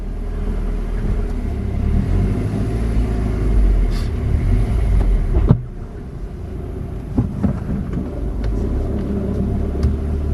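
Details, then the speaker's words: Salvage Audi A3 2.0 TFSI driven up the drive after gearbox oil change: rough, uneven rumble with sudden drop, stuttering and hesitating only under boost; stored fault shows cylinder misfire. "i was getting hesitant when i was boosting it was stuttering um quite badly so i only does it under boost so i just took it back to the workshop had a look and there was a fault for a misfire on cyli"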